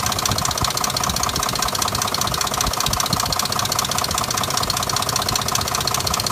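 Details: 2005 Dodge Durango knocking at idle, with codes P0343 and P0172 after the cam sensor, O2 sensor, transmission and exhaust manifold were replaced. Steady ticking knock at about 2.5 per second over a busy idle; the source is unclear.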